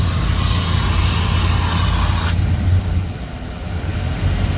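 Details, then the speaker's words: 1997 Ford pickup petrol engine after a rat-chewed vacuum hose behind the engine is found: hiss of the vacuum leak cuts out, leaving a steady low rumble as it idles right down and runs better; the hose piece needs replacing. "runs a lot better now. The rats, you dirty rats have chewed that off. Oh, a little piece of hose to replace, but it idled right down."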